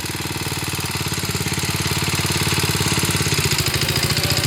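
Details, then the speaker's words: 1966 Sears Custom lawn tractor, single-cylinder, first run after carburetor and points work: steady even thump about 3.5 beats per second, building with throttle, smoking; normal running with good power. "Wow, she smokes. There we go. There's Mikey's truck. Got good power. 50 years old, that thing."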